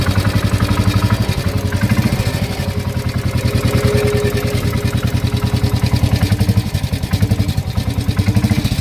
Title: 2016 enfield bullet engine knock